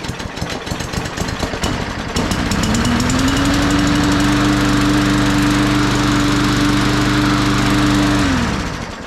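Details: Cheap Walmart push mower that sat about 1.5 years, run right after its stuck carburetor needle was freed; catches and holds a steady, even buzz, then winds down; blue smoke on startup, owner suspects odd oil.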